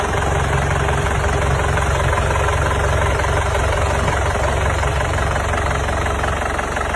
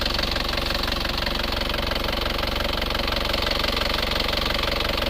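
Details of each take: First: Isuzu Panther Grand Touring Euro 2 diesel with high oil consumption, before overhaul: loud rough clatter, smoke puffing from the pulled dipstick tube even cold and thicker when hot; heavy blow-by from compression leakage. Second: Isuzu Panther Euro 2 diesel after repair for heavy oil use and blow-by, warm at 79 °C: fast, steady, even idle clatter with minimal vibration, no knock or miss, no smoke; healthy idle.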